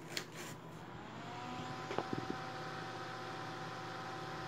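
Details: Lab Series L11 200-watt guitar amplifier, original cooling fan before replacement: steady loud whoosh with constant hum, noticeably noisier than new fan; loud cooling fan noise.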